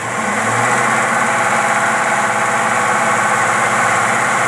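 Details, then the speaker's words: V8 (possibly 65 Chevy) on rebuilt Rochester 4-jet carb, fuel at 3 psi via regulator, fan off, earlier stumbling, missing and popping; now steady even idle with no stumble, pops or misses: running clean after carb repair. "oh man this thing is running sweet brother"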